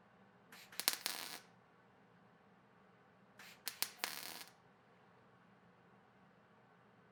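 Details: Stitch welding to fill holes in thin sheet metal: two short bursts of crackling arc sizzle separated by quiet pauses, a sewing-machine-like stop-start cadence rather than a continuous bead, which is normal technique.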